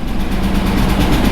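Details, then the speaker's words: Chevy V8 truck that had run smoothly all week, idling after sitting: deep rumble with quick light ticking clatter keeping time with engine speed; valve clatter, seemingly from one side. "listen to those can you hear those major valve clock"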